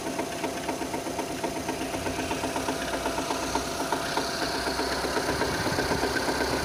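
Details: 2006 Renault Scenic 2, K4M 1.6 with automatic, 202,000 km, cold idle: sharp regular knock about four times a second, coming from below; expected to fade as it warms with another sound appearing; cause unknown.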